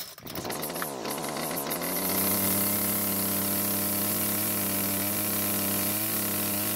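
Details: Homelite string trimmer two-stroke, restarted with no choke to clear a suspected flood: pull-start, then a steady, even high buzz without surging. Runs well, so no carb adjustment is needed.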